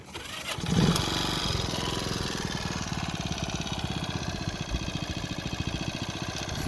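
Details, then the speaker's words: Restored Honda C102 50cc Cub with battery a little low and an older replacement exhaust fitted: brief crank, then the single catches at once and settles into a quick, even putter; normal cold start. "I'm gonna give you an idea how well she starts batteries a little low"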